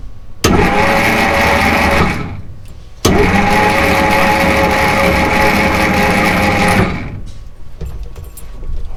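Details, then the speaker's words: Jeep FC170 flathead, sat 50 years: two spells of slow uneven cranking with no firing and no firm compression beats; low compression, cylinder two has none and its valve isn't moving. "now I'm just going to crank it over slowly I don't want it to really do much I just want to get that piston to move a little so"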